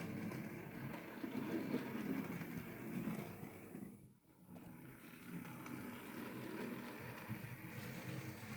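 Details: Hornby R2959 Thompson L1 2-6-4T OO model loco, used, after greasing the worm gear: quiet, even hum with no grinding or rasp. Earlier grinding came from lack of lubrication; now normal gearbox running.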